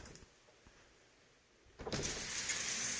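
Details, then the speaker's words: Passat with an intermittent door latch/lock fault: quiet click then smooth, even whirring as the window glass runs down and back up with no grinding or binding; power window motor works normally. "there it is she rolls down nicely and rolls up as well"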